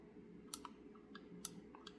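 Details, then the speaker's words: 1990 Corvette wiper motor on the bench, cover removed, gear turned by hand: sharp light clicks as the detent on the pulse board opens its circuit, the end-of-sweep signal; normal park switch action. "better. Um, and that's lets it know it's the end of the sweep. I think it's called the end of the sweep signal."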